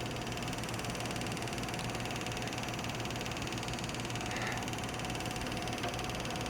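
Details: Used graphics card (TUF) fan under load, louder than expected, running hot; owner suspects dried thermal paste. Steady loud whooshing roar with faint whine, no speed change, straining cooler.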